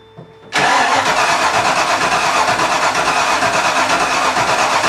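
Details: Miata with a 5.0 V8 swap, first start with the fuel pump on: the starter spins hard, then ragged, uneven firing that sputters without settling, and smoke follows. Ignition timing is a tooth off at the distributor.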